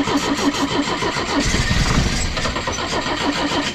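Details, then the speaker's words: Pinzgauer in neutral cranking after new fuel pump, first start in about 3 years: steady starter churn, about three turns a second, no firing; fuel filter filling but not yet primed enough to start. "yeah filter's filling up so it's not quite uh it hasn't filled up enough to get"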